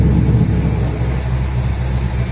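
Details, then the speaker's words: Nissan Hardbody D21 truck being built to 400+ hp, new exhaust with switched cutout now flipped closed; engine settles into low, even, muffled rumble, nothing sharp; quiet normal running, not yet tuned but good AFRs. "it quiets down again. Really, really cool."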